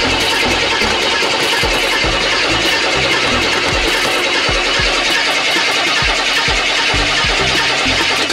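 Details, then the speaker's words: Cheap beater with a non-working gas gauge: long steady cranking for over eight seconds with no catch; it was out of gas, fuel starvation. "So yeah, that wasn't our fault. Well, actually, it was our fault. It was just out of gas."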